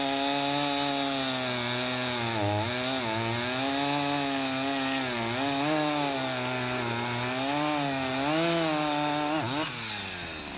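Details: Husqvarna 353 two-stroke chainsaw, restored with gas line and chain drive work, carburetor just adjusted, cutting wood: strong steady howl dips and recovers under load, pulling cleanly; runs healthy, chain grabby and needing sharpening.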